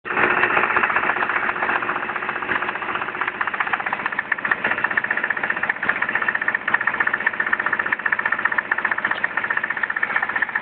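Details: Nissan SR20DET petrol engine idling after an oil change, with a steady, deep rod knock, about four a second, under the running noise.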